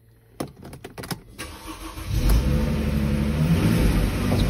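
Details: Mercedes-Benz R-Class R250 gasoline that had cranked without starting: a few relay clicks, then a short crank catches into a steady, even idle once the fuel pump relay was bridged to run the pump; fuel supply fault, relay control being traced.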